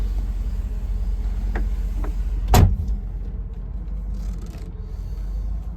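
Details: 1988 Mercedes-Benz 560 SL warming up after a cold start, water temp just rising, oil pressure still great: low steady hum holding even with one brief handling clunk; smooth, normal warm-up idle.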